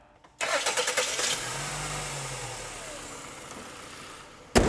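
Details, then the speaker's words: Car engine start after replacing the accessory drive belt and tensioner: short crank, catches cleanly and settles to a steady idle with no belt squeal; healthy start. "all we need to do now is crank it up make sure everything's running fine take it on a test drive"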